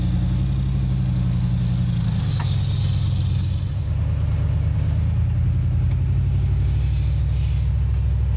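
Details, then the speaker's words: Jeep Comanche on a trail: loud, steady, deep rumble with a droning beat underneath; exhaust contacting the chassis because sagging motor mounts let the engine sit low; fix is reshaping the pipe for clearance or new mounts. "That's what's making all that noise right there. I either need to bend this into a oval shape and make some clearance there, or I need to get some new motor mounts in there, raise that motor back up."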